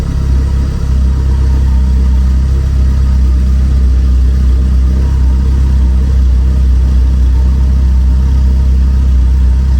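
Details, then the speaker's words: 1985-on Porsche 944, cold, in neutral, started just after fitting a Storch plug-and-play mass airflow sensor in place of the flap-type sensor: a smooth, even low rumble with no misses, knocks or hunting. It idles nicely. "As you can hear, the car idles nicely."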